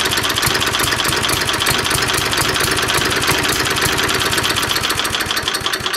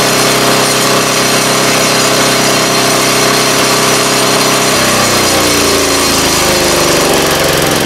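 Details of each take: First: 3.5 HP Tecumseh single-cylinder engine, no throttle control, during tune-up: hammers along fast and loud with a slightly uneven beat; owner suspects too little fuel and adjusts the carburetor main jet screw. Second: 3.5 HP Tecumseh engine after tuning the main jet screw, driving a wood chipper. A loud, steady drone holds speed while the chipper chews wood, with no surging or hunting. Normal running under load.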